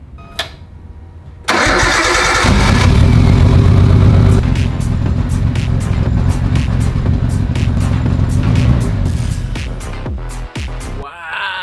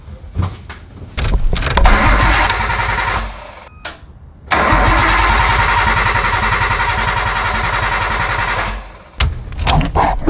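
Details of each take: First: 1998 Nissan Skyline GTT, stock RB25 with Walbro 525 fuel pump, after replacing all smashed fuel lines with nylon braided E85-safe hoses; cranks briefly, catches at once and settles into strong even idle, easiest start yet, no fuel leaks. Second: 1998 Nissan Skyline GT-T R34, bought not running, cranks after a Walbro 525 fuel pump install. The starter churns steadily for several seconds, stops, tries again, and the engine never catches: crank no start, cause still unknown.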